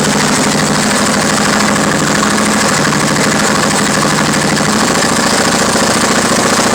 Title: Harley engine knocking